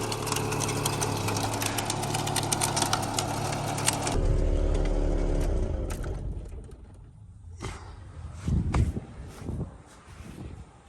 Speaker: you know the belt's still on you can hear it flapping